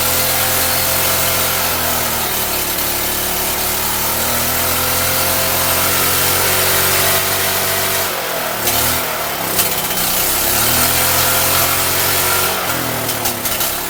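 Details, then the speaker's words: Free Champion generator revived after reassembly, with muffler fitted: small engine screams at a high, steady pitch that surges and dips briefly; overrevving, owner says the governor needs adjusting. "sounds like I do need to adjust that governor I just wanted to rev real high"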